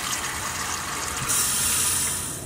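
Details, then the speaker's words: After replacing the SHURFLO 12V 3.0 GPM water pump on a Fleetwood F53 Class A RV, faucet test: a steady hiss of water with even, unbroken flow and no sputtering or surging. Pump holds pressure normally. "Let's see if we got some water going now. Well, that came right out. Let's see if it keeps maintaining the pressure. Looks good."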